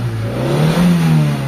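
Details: Mitsubishi Lancer 4G13 carbureted engine that stalled in neutral and started hard, after fuel float replacement and idle adjustment: short, clean throttle blip, revs rising and falling evenly without stumble; engine now runs fine, idle stable.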